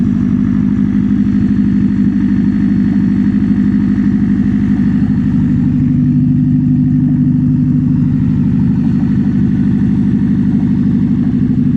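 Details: Toyota Prius: a loud, steady engine drone with a fast, fairly even pulse of about three per second; noisier than expected, cause unclear.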